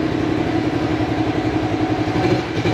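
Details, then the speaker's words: Motorcycle with Aracer ECU, fuel base cut to 50 (leaner than the stock 100), no AFR meter: fast, choppy, unsteady idle that stumbles and dies when throttled, from a lean (too dry) mixture. "Ini kekeringan. TPS berapa? Ini kekeringan."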